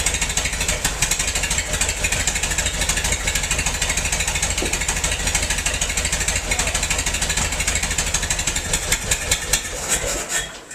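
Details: Massey-Harris 44 tractor stored 10 years in a semi trailer, with burned points replaced: lumpy, uneven chuffing about three beats a second with gaps in the rhythm as cylinders 2 and 3 misfire; owner suspects stuck valves, plugs or wires; a stuck intake valve was found.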